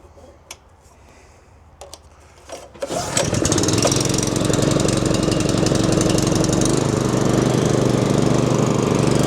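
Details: Small engine-driven water pump for irrigation, restarted after cleaning a blocked spark arrestor gauze in the exhaust, pump briefly run short of water: few handling knocks, then engine catches and settles into steady, even fast run with clear exhaust note.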